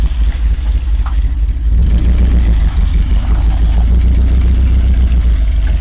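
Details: 1986 Rolls-Royce Silver Spirit II, parked since 2022, just started cold with some bad fuel: lumpy, uneven idle with irregular exhaust stumble, one cylinder dead; bad misfire, plan is new spark plugs and checking distributor cap and points.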